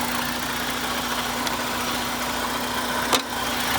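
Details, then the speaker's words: About 238,000 miles, Ohio car with some rust: steady even idle holding one constant note, no knocks, misses or hunting; runs fine, normal idle. "but yeah I mean when she sits here she [Music] runs but as you see she sits here and she's running"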